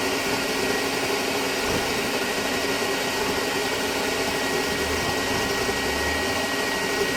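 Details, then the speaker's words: Vintage Hoover Constellation model 862 vacuum, rewired, measuring 83.1 on a sound level meter: steady, even rushing air roar with a constant motor tone, no surging or scraping; it floats fine, though the switch seems faulty. Runs normally. "It is measuring 83.1 on the sound level meter."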